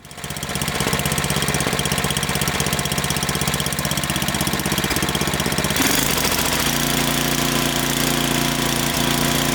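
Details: Snowblower engine after fix running a steady, even idle with no rise-and-fall surging; it previously surged at idle, cause suspected in the air intake needing cleaning.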